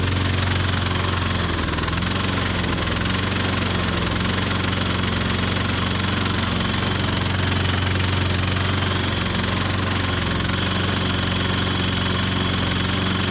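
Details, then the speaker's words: 1998 Ariens 21" self-propelled mower (model 911080, engine VLV60) after a carb clean, new coil and keyway replacement: it chugs with an uneven beat of about four per second and a loud clanking, then dies on its own. Rough running, cause unclear. "I don't think I did that I think it died on its own there what sounds so terrible my goodness"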